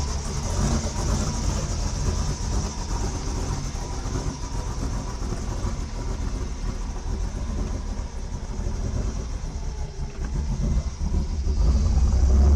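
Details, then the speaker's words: 1973 Ford Torino with freshly installed LS V8 swap, open intake pipe: deep lumpy rumble with loud intake roar, rising slightly at end; came right to life, sounded really good; normal running. "Dude, it came right to life. Like, I don't even know if I believe that. Are we pouring any fluids? We're not pouring nothing. No way. It didn't even sound that bad. No, that sounded really good."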